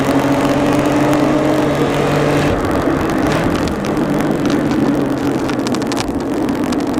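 Steady idle with a hum that keeps stumbling and shuddering at irregular moments instead of running smooth, a typical misfire.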